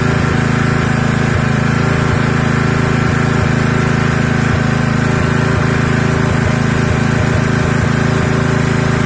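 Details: Honda GX160 single-cylinder engine after oil and combustion chamber were flooded with petrol, oil refilled not too full, recorded facing the exhaust: even, rapid putter at steady speed with no misses or knocks; runs smoothly.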